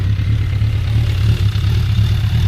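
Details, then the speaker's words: Suzuki Bandit 1200 four-cylinder motorcycle idling: deep, even burble with steady low pulse, no knocks or misses; clutch components audible inside, valves sound really healthy, carbs in good shape, quiet muffler. Normal idle. "You can hear all the clutch components and stuff making noise inside here. The valves sound really healthy."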